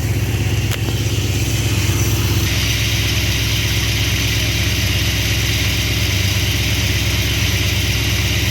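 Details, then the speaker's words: V8 with freshly rebuilt Thermoquad carburetor at baseline mixture settings, cold start: started easily, steady even fast idle around 1,000 rpm (lower than wanted), no misses or stumbles; vacuum steady 15–20; running normally. "That started super easy, actually. My fast idle isn't quite as fast as I'd want it. It's only about 1,000, but it starts good, so I'm gonna leave it alone for now."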